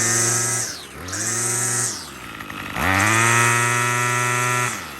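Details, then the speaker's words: Troy-Bilt TB35 two-stroke trimmer after aftermarket carburetor replacement and tuning; crisp revs twice, steady high buzz with no stumble or bog; running normally. "Beautiful. Ready to go."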